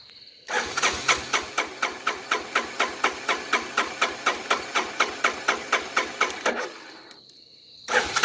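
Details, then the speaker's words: 1985 Honda Big Red 250ES, cold, sat long, hasn't started in a while, tank believed full, oil good: the starter churns at about four even compression beats a second for six seconds and never catches. Long crank, no start. "Let's see how my dad's Big Red starts. Hasn't been starting in quite a while."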